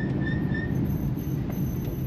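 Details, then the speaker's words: 1942 Plymouth Staff Car on a test drive, slowing to a stop from third gear before shifting to first: a thin high squeal rises over low road rumble from the drum brakes. "Ah, commence à couiner un peu moins, on dirait."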